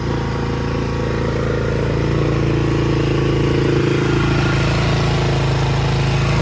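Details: 200cc quad idling in neutral with the brakes on, after fuel-tank cleaning, pinhole welding and a new carburetor: a steady, even putter of about four beats a second with no stumbles or misses; normal idle.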